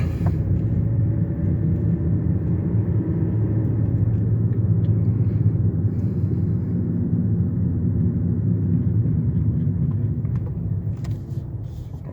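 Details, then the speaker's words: 2008 Hyundai Elantra daily driver, cruising with the radio off: a constant low droning roar and hum from the tires on the pavement; the owner calls them the noisiest tires he has had and says new tires are needed soon. "pick it up, but these tires are absolutely noisy. They are the noisiest set of tires I've ever experienced. Like, on the expressway, it's annoying as hell."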